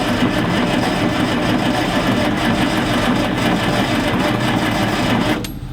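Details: Galion T500 motor grader, sitting unused since 2007 (14+ years), after tightening a loose connection: steady loud cranking as the engine turns over on the starter but never catches; cranks but no start, ether to be tried next.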